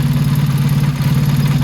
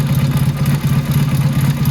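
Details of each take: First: Motorcycle carburetor being tuned with a Colortune plug. Idle mixture screw turned back in toward 3 turns out as the flame returns to blue. Even, steady low burble with a regular pulse and no misses. Sounds better; idle normal. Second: Motorcycle carburetor being tuned with a Colortune plug. Idle mixture screw turned out; the flame is no longer blue. Low, lumpy idle thumping about two beats a second, uneven and sluggish. Rich idle mixture.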